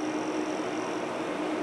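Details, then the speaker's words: Dell C1100 server with two quad-core low-voltage Xeon L5520s, PWM fans on thermostat, room in low 70s/high 60s: steady even airy whoosh with faint low hum, no surging or bearing noise; quieted down after about five minutes, normal fan idle. "this will get a little bit louder of course that the fans are PWM fans on the thermostat but as long as the overall room is low 70s high 60s and temperature it's as quiet as it is right now it took about five minutes to quiet down"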